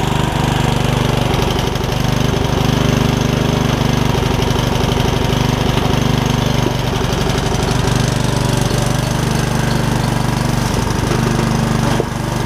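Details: Yard Machines rider engine, just revived from a water-filled engine, runs with an irregular loping beat and scattered clatter. The owner suspects it is a little rich, with a rust cloud, and partly blames valves not gapped after the valve cover refit.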